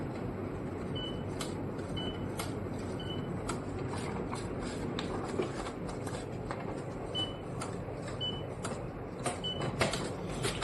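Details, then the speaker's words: Canon MAXIFY GX4070 printer about a year old, whose automatic document feeder fails to detect paper for minutes after power-on; paper fed from the other input instead: short high beeps about a second apart over light feed clicks; paper detected normally. "If I were to feed it from here, hear the beep."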